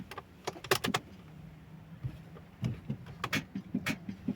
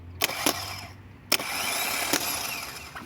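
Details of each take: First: Opel Astra G 1.9 CDTI with an automatic gearbox that won't start: a sharp solenoid click with each key turn, but the engine never turns over; a starter problem, so the starter is being replaced. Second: Opel Astra G 1.9 CDTI automatic no-start, starter bench-tested with jumper leads: a few sharp clicks as leads touch, then an even high-pitched whirr for about a second and a half; starter spins normally this time, though it later failed when fed through the solenoid.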